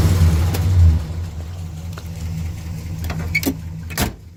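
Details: 1974 Pontiac Grand Am sedan, 400 V8, all original, carburetor rebuilt: deep lumpy V8 burble with a few throttle blips, smooth and even, no knocks or misses; healthy engine.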